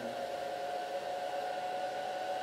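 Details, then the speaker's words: Small cooling fan on a DIY thermistor speed control cooling an IMAX B6 charger discharging at 1.5 A: steady airy whoosh that speeds up as the inlet is covered and temperature rises; runs smoothly with no rubbing or rattle. "fan is going faster and faster because the thermistor it's sensing that the temperature is going up and puts more current to the farm"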